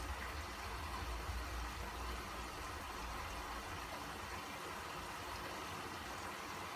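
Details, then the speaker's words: 2015 Bosch Classixx 6 Varioperfect WAE24167UK/47 washer on test quick wash after motor commutator/brush repair: steady even hiss of water filling, no knocks or drum hum yet; normal fill, taking quite a lot of water. "i hope it will any time now that water should stop it's taking on quite a bit of"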